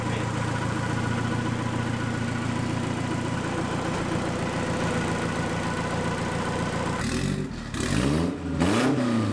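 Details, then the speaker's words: K20 turbo Mk2 Escort with no exhaust fitted: a loud, raw, rasping idle, then sharp unmuffled revs rising and falling; the car also has a dry sump setup. "that's pretty noisy that's like my exhaust from our first ladder it just sounds like it hasn't got an exhaust on it which is technically what it hasn't got"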